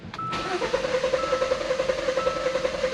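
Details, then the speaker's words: 2015 Hyundai Santa Fe Sport 2.0 L turbo, 200,000 km, rough idle and check engine light, cranking with injector connector unplugged: compression pulses at an uneven beat, one cylinder sounding different; misfire cause suspected, relative compression test to follow. "So something wrong with that cuz it should be if you know if all um what do you call that? If all the pistons are contributing to each cylinder, right?"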